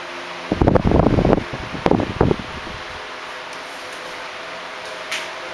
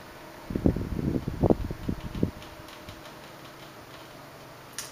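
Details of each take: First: 1976 Electrohome 30 cm (12-inch) desk fan, four clear blue pitched blades, on high speed: brief handling knocks, then an even airy whir with no rattle, tick or scrape, running smoothly. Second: 1976 Electrohome 30 cm (12-inch) desk fan, Korean-made, on low speed: very quiet fan hum, with a short burst of dry irregular cracks and ticks as the head oscillates; crackling from the oscillation mechanism.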